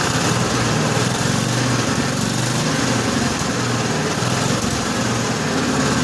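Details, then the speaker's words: 1955 Cushman Truckster after the fuel line was blown out with a long nozzle, idle setting unknown; fast, even single-cylinder putter holding a steady idle with no misses or stumbles, no smoke, quiet through a homemade EMT-conduit exhaust: healthy. "She doesn't smoke. It really does sound really good. That engine's quiet as could be. The exhaust note isn't bad either for the exhaust system I have."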